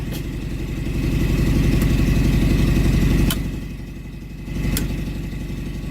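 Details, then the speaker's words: RV onboard generator set running after a missing switch was found and wiring confirmed: steady low engine drone, even firing, a few sharp clicks, but no power output; suspected fault in the generator head or the capacitor. "Okay, so the generator runs, but there's no power output. So we have it wired correctly. The switch is good."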